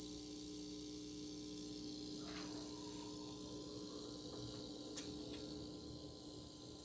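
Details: Rega P1 turntable: steady low-pitched buzz at one pitch with no rhythm or speed change; turntable buzz, source not pinned down, cause suspected but not confirmed.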